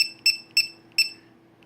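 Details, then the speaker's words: Dynamite Prophet Precept 80W charger (DYNC2015) low-voltage alarm, set to 380 (half battery capacity; lowest setting 270): short, shrill electronic beeps in uneven bursts while the light flashes, the low battery voltage alarm going off. "380 so lowest to go is 270 and of course you hear that beep that's what the alarm sounds like when it goes off kind of like that right there and the light flashes"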